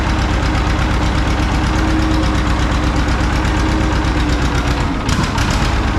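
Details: John Deere 530 old two-cylinder tractor idling in winter, not run since hay-wagon use after a no-start with a shot battery; slow, heavy, even popping near three a second: healthy normal idle.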